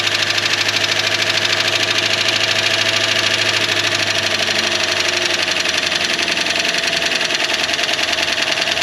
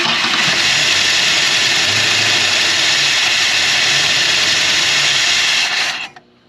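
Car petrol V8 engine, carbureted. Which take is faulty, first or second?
second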